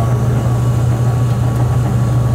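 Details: Gas furnace belt-drive blower after motor replacement and new belt with about 1 in play: smooth, steady low hum with no knocks, squeal or slapping; blower runs normally, though it reportedly would not shut off.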